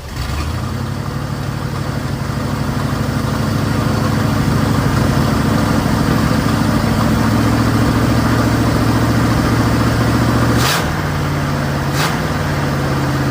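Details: 1955 Buick Super on 1973 Electra frame, 455 big-block V8, new fuel pump, K-Seal in leaking radiator: deep, steady burble with even rhythm, no ticks or knocks; temperature steady at 180, no oil gauge yet, healthy warm idle.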